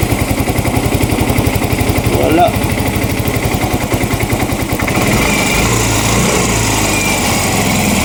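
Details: Yamaha Mio i 125 scooter, misfiring (palyado) and smoky; hard starting, TPS drifting out of adjustment, O2 sensor voltage not reaching 1 volt; fast, slightly uneven putter with hollow sputtering edge, misfire from rich mixture.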